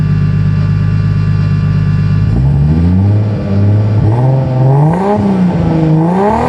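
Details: Toyota Cressida MX83 drift car with a 1GGTE turbo engine, after installing a new 4-inch stainless perforated-tube muffler. A deep idle, then revs climb and drop several times with a smooth, full exhaust note and no rattles. The exhaust sounds healthy.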